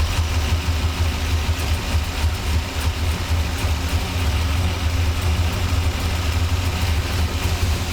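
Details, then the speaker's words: 1985 Monte Carlo SS with a cammed 6.0L LS2 swap, restarted after sitting 5 years and a fuel system rebuild: lumpy, stumbling V8 under light revs; all injectors get a signal and fuel pressure is fine, so stuck injectors are misfiring. "All of the injectors are getting a signal. It's running better, but there are still a few misfires."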